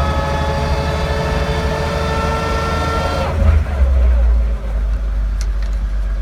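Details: 1941 Dodge WC12 while driving: steady high-pitched whine over the engine, fading as the note changes; transmission whine, source within gearbox unknown.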